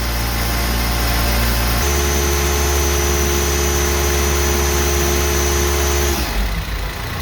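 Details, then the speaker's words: Zamboni 546 ice resurfacer engine after a spark plug change to IFR6F plugs, still cold and warming up: catches right away and settles into a steady, even idle at a slightly raised cold-start speed; runs smooth and healthy. "Sounds good to me. Still a little cold though. Let it warm up here for a little bit."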